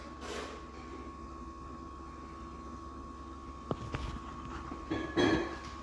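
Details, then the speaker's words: Fridge with an R600a compressor after a compressor failure, test run after evacuation and refrigerant charge; steady low hum with a clean, even tone and no rattles or clicks; removing heat, compressor sounds healthy. "Okay, removing heat. Compressor sounds good. I think we're golden."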